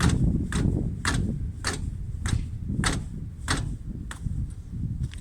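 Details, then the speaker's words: 2018 Lada Granta FL driving over bumps: sharp metallic clacks about twice a second from front brake calipers, louder on left side; suspected dried-out caliper guides or spring, to be fixed with caliper grease. "это интервью без либо шум именно суппорта в сном бряканье суппорта на кочках это особенно чувствуется слушайте"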